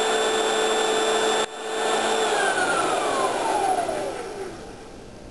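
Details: Pink Hoover shampoo-polisher motor: smooth steady whine, then pitch slides down as it winds off, no grinding or scraping; runs well, healthy normal running.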